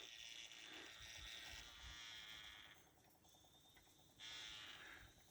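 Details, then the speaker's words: 1995 Ford F-250 4x4 plow truck, engine just shut off: fizzing, gurgling hiss under the hood; coolant boiling and venting from a cooling system leak, antifreeze smell, explains prior overheating. "I hear it venting they're leak someplace and I can smell antifreeze oh yes well that would explain why Neil said it overheated"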